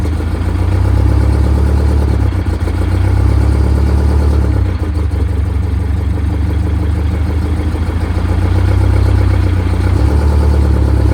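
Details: Detroit Diesel 92 series military-surplus engine, sat 20 years, in a bus, first start after fuel priming: deep, strong rumble holding a steady beat with no knocks or misses; runs normally.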